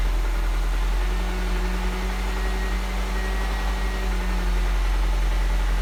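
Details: Mini One 1.4 16v at idle: worn-engine piston slap, a dull hollow knock about four times a second under the engine drone.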